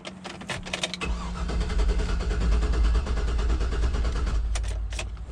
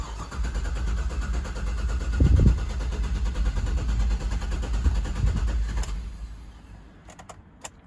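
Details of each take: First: 2009 GMC Yukon with Vortec engine, crank no start: the starter cranks steadily with a few weak catches but never picks up; mechanic suspects no fuel. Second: 2009 GMC Yukon Vortec after fuel pump repair, relay installed: cranks while fuel pressure builds, then catches and revs into an even idle with no misfire; restarted first try after battery disconnect to reset fuel trims; normal start.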